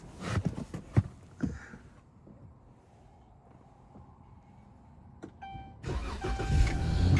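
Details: 2014 Dodge Charger Pursuit (ex-police), engine with 30,000 miles and full service history: a few cabin clicks, short crank catching cleanly and settling into a smooth, even idle; healthy engine start.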